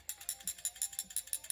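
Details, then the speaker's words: Glock 43X/48 pistol slide shaken after a trigger job: about nine sharp metallic rattles per second from a loose, free-moving striker, as a working striker should sound. "hear that rattle rattle good rattle goes bang okay so put it back together rack it a few times pull the trigger rack it he that rattle that means it's going to go bang that's good okay"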